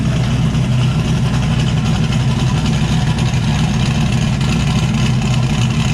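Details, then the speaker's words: Zodiac S10 with turbo setup, after cleaning driver's side parts with carb cleaner so it no longer runs on five cylinders: firm, even idle with strong low throb and even cam tick on all cylinders; no stumble, smooth idle. "[Applause] that sounds a lot better dude last night well he's working the bugs out slowly"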